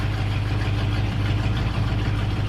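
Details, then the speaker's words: 1966 Ford F-250 with dual exhaust, new battery and tightened exhaust hangers, warming up cold with choke on: deep, steady idle rumble with even beat, no knocks or misses; normal warm-up idle. "let this bad boy warm up oh man he sounds good love that dual exhaust"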